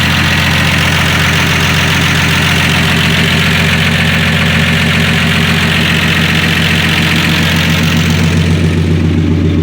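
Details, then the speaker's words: Cold start of a 1965 Dodge Dart's 225 cid Slant6 on about 6–7 ft of straight pipe, no muffler yet: loud, steady idle with an even, quick exhaust pulse and no misses or knocks, a normal healthy idle. "Ah, yes, that lovely sound, that awesome sound of the Slant6. Makes you tingle, don't it?"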